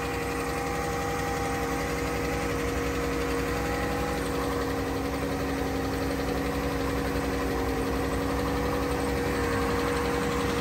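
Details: 2014 Dodge Journey AWD, 3.6 Pentastar V6, correct oil level: light, regular tick over an even idle keeping pace with the engine; worn rocker arms/lifters, replaced.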